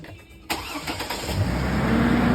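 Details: Ford Focus started after wheel bearing replacement, starter suspected failing and valve cover gaskets possibly due for replacement; brief crank, engine catches at once and settles into a steady, even rumble, a clean, healthy start.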